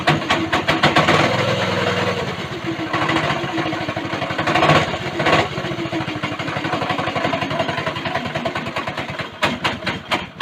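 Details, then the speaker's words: Go-kart small single-cylinder engine after the governor bypass, with the throttle cable return corrected: it revs up and settles back cleanly, firing steadily with no misses, running healthy. "now that sounds promising and i did want to go for a ride"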